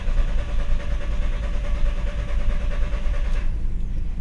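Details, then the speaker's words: 2000 VW Beetle with intermittent stalling, hard starting, code P0322: even thumping crank with steady starter whine for over three seconds, never firing; no RPM signal on VCDS or scope, so a failed crankshaft position sensor (G28). "no RPM signal uh via vagcom and no signal via the uh scope so we're looking at a bad sensor"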